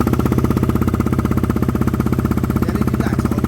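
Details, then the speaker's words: KTM Duke 125 single-cylinder idling just after a fuel module (Power Commander-type) install, module possibly still adapting; fast, even putter around four pulses a second, loud but steady with no misses or knocks, owner thinks it sounds louder; normal idle. "So give it a minute. Annoyingly, I think it sounds louder."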